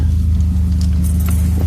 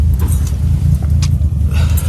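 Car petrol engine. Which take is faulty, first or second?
second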